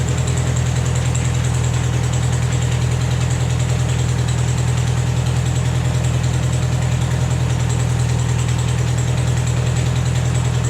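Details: Vermeer 630A stump grinder after a rebuild, with a new choke cable and a rerouted fuel pump now feeding plenty of fuel to the carburetor. It fires up and holds a steady, even low idle of about two and a half beats a second, with no misses or knocks.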